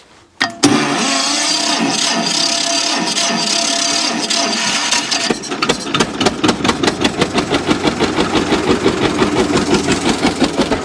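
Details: John Deere G tractor, test with old plug wires back on: starts right up, then uneven lumpy beat with gaps between firings; running on one cylinder, plug wire suspected, not distributor cap.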